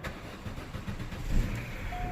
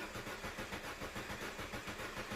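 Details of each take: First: 2006 Vauxhall Astra 1.4 petrol, crank-no-start fixed by reconnecting fuel pump, about 4 bar fuel pressure: brief crank then clean fire into a steady run; normal start. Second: 2006 Astra 1.4 petrol crank no start, fuel pump fuse blown and pump not connected, on a booster pack: steady starter churning at about 3.5 beats per second without catching; no fuel delivery.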